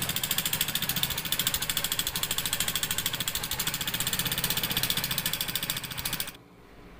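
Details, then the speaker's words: Honda Supremo motorcycle engine idling with fast, high cricket-like ticking chatter from the valvetrain, then shuts off; rocker arm roller found damaged, with camshaft wear. "mga boss narinig niyo yung tunog mukhang rocker arm to mga sir"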